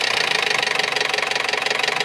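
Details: Toyota RAV4 with 1AZ engine: fast, even metallic knocking about eighteen beats a second at idle, revs dip; owner suspects hydraulic lash adjusters or bushings, source not confirmed.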